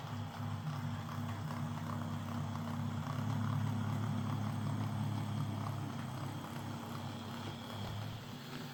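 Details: Old Hornby R751 Class 37 model locomotive after repair: corroded wheels cleaned with a rotary brass brush, body back on, running on track. Smooth low electric hum with a steady rail-clicking rhythm and no grinding or stutter. Normal running.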